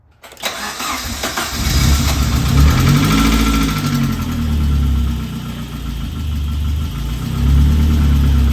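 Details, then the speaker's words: Saab 900 Turbo during a rebuild, first start in about three weeks: it cranks, catches and settles into a steady, quiet idle, with the earlier lifter tick gone after running a bit. "running it's idling perfect the uh lifter tick has obviously CED down just from it running a bit more you can hear how quiet it is now"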